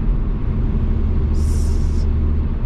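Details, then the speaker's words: 2004 Saab 9-5 Aero with about 200k miles, driving at full turbo boost: a sharp high hiss cuts in over road rumble for under a second, with loss of full power; owner suspects a vacuum/boost leak, not confirmed. "i hear something with the full turbo and i'm not getting full power so as we're speaking we're getting a little issue you guys hear it"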